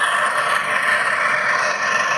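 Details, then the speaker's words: Farrata fan making a loud grinding noise before teardown: constant rough scraping roar with a thin steady whistle as it spins; worn motor bearing, which could also cut into the shaft. "इसलिए दोस्तों, यह खराब bearing यह हो चुका है। होना इससे हो सकता है शाफ्ट को भी काट दें।"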